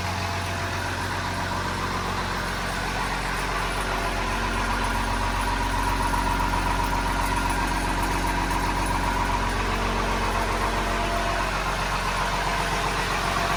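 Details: First start of a transplanted DT360 diesel with AT545 transmission, in neutral, after priming the fuel and bleeding an injector line: even diesel idle clatter at about four pulses a second, no misses or knocks; normal idle, though loose battery-tray bolts vibrated.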